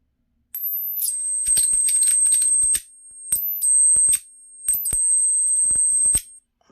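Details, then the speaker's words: 12 V 555-timer flyback driver for an ion lifter, 20-35 kV output, with a salvaged ~0.0033 µF capacitor: piercing steady ~8 kHz whine in three bursts with crackling arcs and sharp snaps; noisy. "not bad but it's noisy you can hear it"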